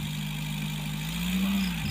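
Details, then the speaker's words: Colt T120 diesel idling after an oil filter change fixed poor oil flow to the cylinder head: hard metallic whir rising slightly with revs; timing gear is metal instead of the usual fibre, so the noise is reduced but still present. "dan suaranya pun juga beda ini suaranya karena fibernya memakai besi berbahan baku logam ya biasanya memang berbahan baku fiber teman-teman ya"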